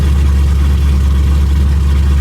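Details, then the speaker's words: 2006 Mustang GT V8 just after an engine rebuild with new mods, first start running rich: very loud, deep, steady idle rumble with booming lows, open headers with no mufflers. "This shit is so loud."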